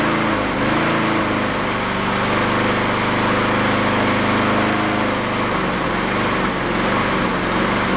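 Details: Used Honda mower single-cylinder engine after fitting a slightly larger jet: speed rises and falls every few seconds, never settling, surging from a blocked carburettor idle circuit. The jet barely helps. It runs decently on partial choke.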